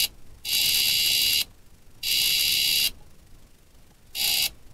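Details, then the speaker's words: Homemade buzz coil built from modern parts for a hit-and-miss engine, wired to a battery and a grounded spark plug for a demo: a sharp, steady high buzz in bursts of about a second, producing a spark normally. "we'll try to get a better shot of if not you can hear my buzz coil buzzing i am getting a spark"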